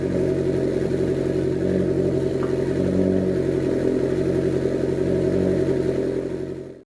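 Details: Honda Civic EF project car, start after trailing arm and bushing work with battery refitted: engine catches and holds a smooth, even hum at steady speed for several seconds before switching off; runs normally.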